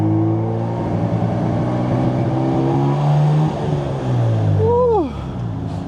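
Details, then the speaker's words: Mazda RX-7 rotary driven on real roads, pulling around 3,000 rpm: a deep, even growl that climbs smoothly with revs, with no misses or knocks. Normal, healthy rotary running. "Just hearing like a growl like that, smooth, consistent. I'm just like, hell yeah."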